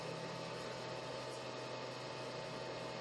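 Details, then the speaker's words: Samlex 350W pure sine wave inverter on four parallel 12V Schumacher batteries, powering a refrigerator under load: steady airy whoosh from its small cooling fan kicking in at high rpm with a faint electrical hum; normal. "you can hear the inverter because it has the uh load sensing when you put um load from it that time started drawing the fan kicks in in a high rpm"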